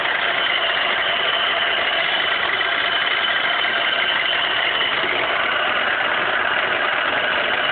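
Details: 2002 Pontiac Grand Prix GTP supercharged engine, run low on oil, now taps at startup idle: a fast, light metallic tapping. Owner says it seems not to make the sound when revved; oil topped up with Royal Purple and Lucas. Cause undetermined.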